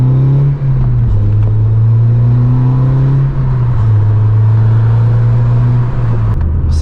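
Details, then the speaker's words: 9th-gen Honda Civic Si with a newly installed Acuity cold air intake, cruising. A steady low engine drone with a smooth, even intake rush; it sounds best from about 4,000 rpm. Normal, healthy intake noise. "so once you get up to about 4 000 rpm that's when it really starts to sound good"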